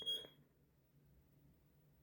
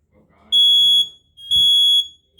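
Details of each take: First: Now it's chirping. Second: Kidde 20SA10 smoke alarm test: loud high-pitched beeps about half a second long in repeating fire pattern, with other interconnected alarms sounding too; normal operation.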